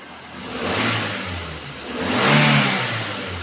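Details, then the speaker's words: 2015 Daihatsu Gran Max 1.3 pickup: two clean throttle blips, revs rising and falling smoothly with an even note and no misfire or ticking. The engine is dry with no white exhaust smoke. Normal revving. "ini mesinnya masih oke mesinnya masih galak gitu ya kalau geber itu masih galak tuh suara raungannya itu dia ngisi tenaganya masih kalah"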